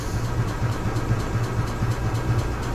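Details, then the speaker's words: 2015 EZGO Express S4 gas golf cart, sat over winter: in neutral with key on, pedal pressed and choke applied, even starter pulses roll on but engine never catches; crank no start traced to water in the carburetor. "doesn't want to start what we're gonna do is we're gonna probably pull the carburetor on this and check and see if we have any issues inside the carb"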